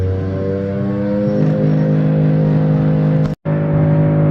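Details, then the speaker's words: DC Superheroes coin hopper (Andamiro) motor: loud steady strained drone with a brief cutout, angry race-car-like sound; exit chute jammed with coins/balls, old lumpy balls suspected. "that's not good that's not good at all that motor's making some angry noises sounds like a race car trying to take"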